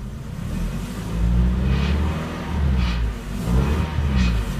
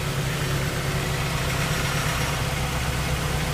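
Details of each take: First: 1998 Toyota RAV4 with oxygen sensor flange studs rusted off and nuts missing: loud, deep exhaust drone at startup, much louder than normal, with sharp rattly bursts near 2,000 rpm from the leaking flange. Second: 1998 Toyota RAV4 petrol engine idling evenly with a smooth low rumble, no ticking or exhaust puffing, after repairing broken oxygen sensor flange exhaust studs that had caused an exhaust leak.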